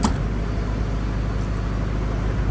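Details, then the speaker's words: Reconditioned Kirloskar/Deutz HA494 four-cylinder air-cooled diesel 35 kVA silent genset, 1500 rpm, unloaded: dense even low drone, no knocks, misses or surging, no smoke; healthy running. "आवाज भी आप check कर सकते हैं इसकी कोई धुआ नहीं बक साफ इंजन चल रहा देख सकते हैं आप"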